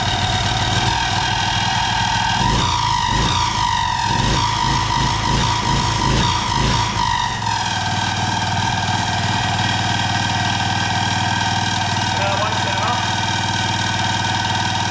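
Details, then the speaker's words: Second auction-bought generator running right after starting first pull: steady speed with irregular rattling chatter for several seconds as the recoil starter stays engaged; it also leaks fuel from the carburettor and its on/off switch wouldn't stop it. "clearly a problem with the pool starter there not really coming off"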